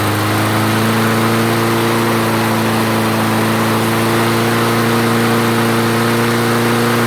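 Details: Craftsman self-propelled mower after the clogged carburetor main jet was cleared, restarted with fresh fuel and three primes: steady, even engine note holding smooth revs, no surging or hunting; normal running.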